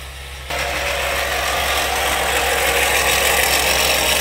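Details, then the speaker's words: Toyota Sienna with loud raspy grinding chatter over the running engine at about four pulses a second. A screwdriver used as a stethoscope traced it to the alternator, and the failed alternator was replaced. "I'm taking a screwdriver up to my ear it sounds like the alternator so I'm pretty confident I'm going to take the belt off"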